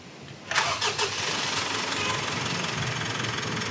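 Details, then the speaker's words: Mitsubishi Strada diesel, about 2019, after replacing the torn turbo hose that caused black smoke and a strong air leak: a few quick cranking chugs, then starts and settles to a steady even idle with no hiss; normal. "gas so nawala na yung singaw dito normal na normal na yan So kanina Napakalakas ng singaw nito"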